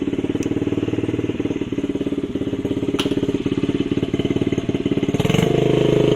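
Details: Honda CRF50 50cc single, choke on, after a part was clamped and tightened: uneven thumping about three beats a second, revs rising and holding, idle hanging high; owner suspected vacuum leak, same issue remains, unconfirmed.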